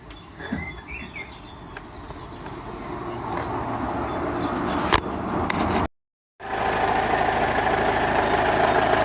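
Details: Toyota Corolla Verso 2.2 D4D diesel idling with even clatter after moving a part off the wiring harness that caused a dull rattle on gear changes and throttle lift-off; no rattle now.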